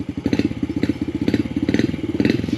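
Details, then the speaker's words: 2019 Yamaha TTR50, warm, after fixing intermittent cutting out. Catches on the first quick bump and settles into crisp, even firing pops at about a dozen per second. Normal start. "bike's all warmed up now watch how quick this starts I just quickly bump it watch go fast that starts guys like I said this is a wicked good running bike"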